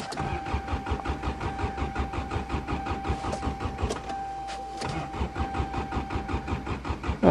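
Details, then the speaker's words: Subaru winter cold start; starter churns steadily at about five beats a second with a chime behind, never firing, fuel pump not heard: cranks but won't start. Owner suspects mice chewed the wires. "uh-oh starter stuck I don't hear the fuel pump it was working when I parked it"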